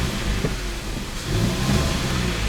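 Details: After clutch kit replacement (disc, pressure plate, release bearing), engine warmed up, clutch pedal down: steady low rumble with no whir, chirp or rattle from the release bearing; the clutch sounds healthy.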